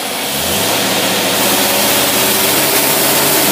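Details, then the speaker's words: Engine on dynamometer at maximum load testing an Edelbrock Thunder 1813 carburetor: loud steady full-throttle roar at high revs, no misses, knocks or labouring; reading went past the scale, over 600 ft-lb torque. "Listen to that thing, listen to that thing, listen to that thing putting out power. That thing went right off the end of the scale"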